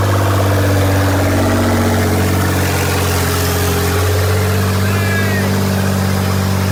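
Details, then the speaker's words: Rebuilt wrecked 2024 Nissan GT-R right after its first-ever start, no downpipes fitted; steady deep idle with even low beat and faint rising turbo whistle, running smoothly: normal idle after first start. "a quick little start with no headers dude or no down pipes no down pipes did you hear those turbos dude they started spooling but dude it fired right here"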